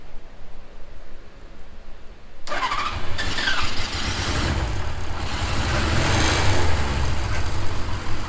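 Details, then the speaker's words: 1977 Suzuki GS550 café racer four-cylinder after rotating the backwards-fitted carb throttle shaft 180 degrees, having sat a minute: starter catches and it settles straight into a steady, even idle with no misses, running super smooth. "Look at that. It is running super smooth. I mean, it's actually running great."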